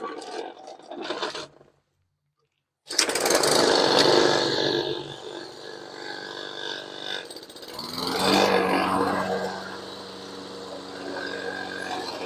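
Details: Toro Recycler 22-inch Briggs & Stratton mower after the carburetor cleaning and valve check. After a brief pause the single-cylinder engine picks up and runs with a steady, even buzz, no misses or knocks. Running normally.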